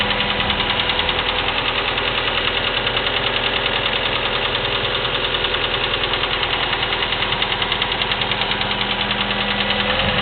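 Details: Chevy S-10 2.2L, 154K miles, clicking for 45K miles, Flowmaster 40 exhaust: steady idle with quick, even light ticking about three per second; suspected valve train, cause undetermined.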